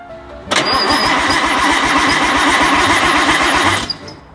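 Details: 4-door Nissan R32 Skyline, engine built six years ago and never run, first start attempt after fixing a fuel leak: even starter cranking, about seven compression beats a second for three seconds, spinning freely but never catching, crank-no-start.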